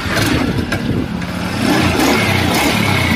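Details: Honda Beat scooter that would not start and showed many errors, after the stator was replaced: the engine catches right away and settles into a steady, even putter with no misfire. It starts and runs normally.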